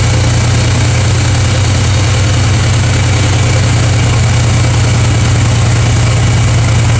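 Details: Freightliner FLD132 Classic diesel truck after a no-start: steady, even low rumble, smooth idle rhythm, no knocks or misses; normal idle.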